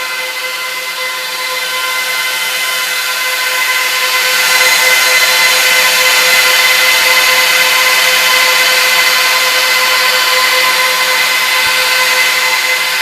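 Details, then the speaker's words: Trash-picked Dell PowerEdge 1750 server after boot, doors closed, RAID setup underway: loud steady high-pitched roar from fans still pinned at full speed. "let's close the doors look at how much wind is blowing"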